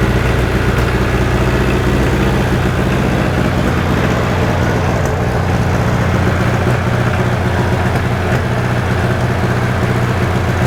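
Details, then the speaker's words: Freshly rebuilt John Deere 1010 diesel in its first run-in, still smoky: steady, even clatter at a settled idle, no knocks or misses; running healthy. "I have to run it for an hour or so I'd like to see it calm down Blow by remember how that was smoking like crazy before sounds good"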